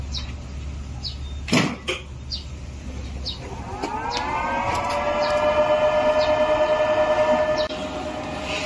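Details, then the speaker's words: Factory machine with four servo drives that tripped the main leakage protection on start; with two drives unplugged, a whine climbs as the drives spin up then settles into a steady hum without tripping; normal start-up. "You see, it is no problem to start now, and it will not jump and leak protection."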